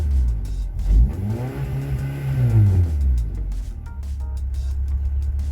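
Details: Honda wagon with H22 engine after a tune-up with new distributor cap and rotor to cure a misfire: engine revs up and settles back to an even idle, pulling cleanly with no stumble under music; runs smooth, no misfire heard.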